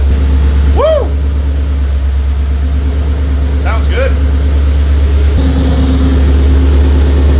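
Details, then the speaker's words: Low-mileage 2004 Mercury Marauder with new fully forged 03-04 SVT Cobra supercharged engine swap and new headers, first start after seven years: deep steady even idle without knocks or ticks, a little smoke from new parts burning off; normal idle. "Little smoky, but brand new motor, brand new headers. Nothing I'm too terribly concerned about. Certainly sounds good."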